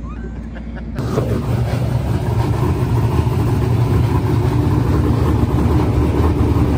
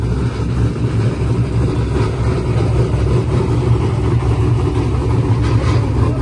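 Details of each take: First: Silver Z06 with LS engine, six-point cage, stock suspension and tailpipes dumped at the diff, on its first full pass in eight months: a loud, deep full-throttle pull with pitch climbing steadily, no stumble or misfire; a normal, strong run. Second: Turbocharged Corvette Z06 with Holley management at full throttle: a loud, deep roar whose pitch stops climbing in high gear. Boost safety was hit and it reverted to wastegate pressure, cutting power.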